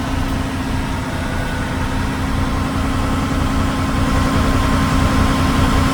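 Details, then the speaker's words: Class 1 truck pre-trip air build-up test, engine raised to about 1,200 RPM: steady even diesel drone, no knocks, as both tank gauges rise past 50 PSI and low-air warning clears around 60-65 PSI; normal compressor build-up. "My low air warning is going to turn off pretty soon. Around 60 to 65 PSI. Both my needles are rising."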